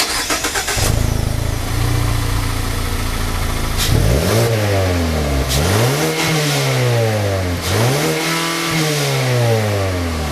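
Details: Mazda 3 exhaust through a transverse muffler with dual outlets: the engine fires up, settles, then takes three clean blips that climb and fall smoothly. The exhaust note sounds even and healthy, with no rattles.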